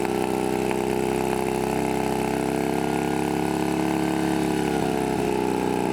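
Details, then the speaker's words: Shovelhead chopper with new S&S knockoff carb, after a throttle cable fix for high idle: steady, even V-twin idle with a firm low beat, no misses or surging, but it smokes heavily; head gasket or rebuild questioned. "so we got it started and now we finally got it idling as you can see but the problem is it smokes a lot"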